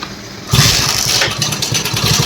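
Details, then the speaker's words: Hero Splendor Plus engine at idle: loud busy mechanical clatter over the firing; diagnosed worn cylinder bore needing reboring and worn timing chain, valves and gaskets needing replacement, gear bearings also suspected. "Engine में इस तरीके से sound आ रहा है बोले तो हमें first आके इंजन ओपन कर लेना पड़ता जो भी प्रॉब्लम है इसपे आ के अच्छा वाला ले और इस बाइक को आके बोर कराना पड़ता और टाइमिंग चन वाल्स गट पूरे चेंज करना पड़ता और टाइमिंग च चेंज करना पड़ता"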